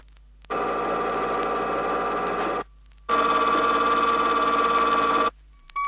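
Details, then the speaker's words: Chrysler hypoid rear axle gear demonstration, pinion moved out of the axle in 0.002-inch steps: steady high-pitched whine near 1 kHz, louder on the second run. Gear whine from incorrect pinion depth. "to further emphasize how pinion depth can cause rear axle noise here is a a progression of the sound as the pinion moves out of the axle 2,000 of an inch at a"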